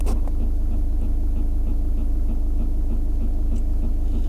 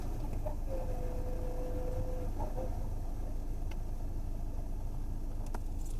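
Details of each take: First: Skoda Rapid parked in a quiet spot, sound recorded at the dashboard: a steady croaking tak-tak, about three to four beats a second, like a frog stuck inside; source was unclear before teardown. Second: Skoda Rapid cabin at idle after repair: low, steady engine hum with no ticking or frog-like croaking from behind the dash; the earlier tak-tak noise came from debris in the blower motor (cleaned) and the vacuum motor (replaced), and the cabin is now silent.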